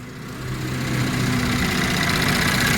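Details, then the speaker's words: 2014 Mercedes-Benz E350 coupe, 3.5 L 302 hp direct-injection engine, idling and heard outside the car: light, almost diesel-like injector ticking, normal for this engine. "You just hear that little bit of ticking. It's almost diesel-esque in a way, which just, I don't know, I find a bit strange."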